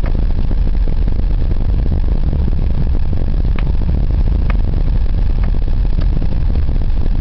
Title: Стук в подвеске во время езды Ланос